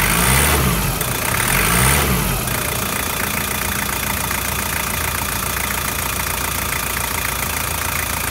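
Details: Toyota 1KZ-TE diesel (Prado/Hilux), cold, after injector and glow plug replacement: even idle clatter at about three and a half beats a second, with no misses or heavy knocks. Normal healthy idle, with a little smoke that is usual when cold.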